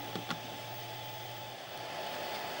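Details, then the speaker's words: Amiga 600 with Furia accelerator card, microphone placed on top of the computer near the card; steady airy whir with faint thin tone throughout: loud cooling fan. "as you can probably hear the fan on the Furia it's pretty noticeable it's the microphone near it"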